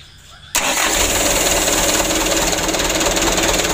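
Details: 2008 Mitsubishi Canter 125 diesel truck, tuned after complaints of shaking, long cranking and low power; cranks once and catches at once, settling into a steady, even diesel clatter with no misses: a clean, healthy start.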